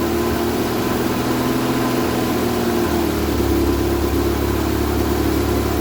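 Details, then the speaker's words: Vauxhall Viva HC barn find with good spark but no fuel getting through. Steady low idle running only on fuel poured down the carburettor; a bottle test showed fuel reaching the carb. Owner suspects the filter is starving it. "I poured some fuel down her neck and she ran off that fuel this fuel in the filler"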